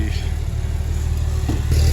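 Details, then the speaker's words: Porsche 964 911 Turbo after fuel pump replacement, rolling very slowly in reverse and forward: a deep, even low rumble with steady firing and no knocks, misses or ticks, normal running. "caught it back in the garage it sounds great sounds like a beast so she's gonna rip she's gonna be a ripper"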